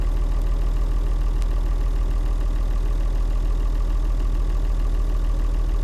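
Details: Leyland tractor with rare six-cylinder Leyland 698 diesel, described as sweet, beautiful running; low, even idle beat of about 200 pulses a minute, smooth and steady with no knock: normal healthy idle.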